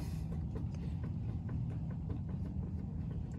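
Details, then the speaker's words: Impala SS wheel turned by hand after wheel and hub work: light scrape and faint regular clicks about three a second; scrape is pad wiping rust off the rotor, clicking said to be brake, hub may need replacing eventually. "what's the clicking though is that breake or no yeah that's part of the that's the brake still"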